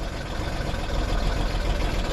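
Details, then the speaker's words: 2003 Ford Explorer 4.0 V6 after timing chain and guide replacement, engine out of vehicle, first start after priming oil pressure: loud, rough, heavy idle rumble with no clean rhythm; one cylinder showing only 17 psi compression. "it's running pretty noisy a little [Music] that doesn't sound good at all huh"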